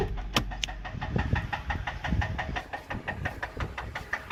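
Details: Ford F-150 5.4 V8 rough idle with a steady, sharp knock about four to five times a second. This is rod knock from running the engine low on oil.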